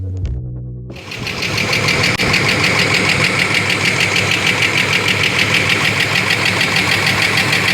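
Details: 1992 Ford Falcon EB Series 2 after long sitting, running on about three cylinders with compression slightly down and good spark: lumpy, uneven idle with a regular stumble roughly three times a second over the exhaust note; suspected misfire, cause not confirmed.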